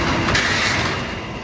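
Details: 40-year-old kerosene torpedo heater, formerly misfiring and shooting fireballs, after cleaning and air control adjustment: even roaring rush of fan and flame, no popping or banging. Normal running.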